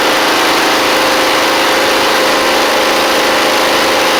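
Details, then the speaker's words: Huskee Supreme 50-inch Briggs V-twin mower at idle, oil level checked OK, smoky, possibly from oil on the muffler: thin, buzzy idle missing the twin beat, running on one cylinder. He judges it a carb issue rather than spark, if the plug is good. "this is a little crazy w all right so we're only running on one cylinder so so they got a carb issue we don't have a spark issue"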